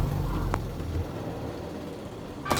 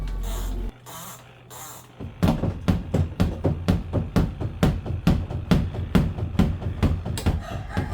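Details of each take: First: Semi-automatic washing machine after the clothes were rearranged properly in the spin compartment: a steady, even, low rumble of a smoothly running, balanced spin, with the earlier odd noise gone. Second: Semi-automatic washing machine spin basket thumping heavily about twice a second against its housing because clothes were badly arranged in the spin compartment; rearranging the load fixes it.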